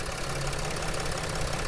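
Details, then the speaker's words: 2007-2010 Mercedes Sprinter NCV3 diesel idling after reseating the separated turbo resonator on the outlet pipe; earlier loud escaping air now gone, steady low clatter with no hiss, intake sealed. "that sounds significantly better we went to look at it it sounded like there was a lot of air escaping and I think that pushing the resonator pieces together really helped quiet it down"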